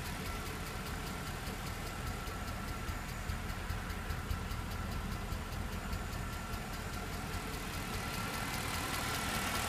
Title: E63 ticking noise